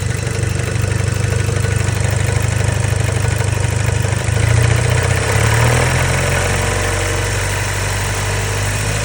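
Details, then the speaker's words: Neglected Audi B7 A4 daily driver after a track day, logged over a suspected N75 issue: heavy, somewhat uneven idle with a loose rapping under the exhaust drone; owner fears possible overboost damage such as a bent rod, cause unknown. "I started to notice some knocking or some not really friendly sounds coming from the engine bay."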